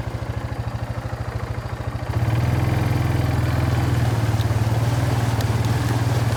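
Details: Kawasaki Bayou 220 barn-find ATV after carburetor cleaning, new battery, oil and air filters, straightened racks, rear right wheel bearing, seal and drum brakes: even single-cylinder idle putter, then smooth steady pull on test drive, no clatter or misfire; running really good, no issues.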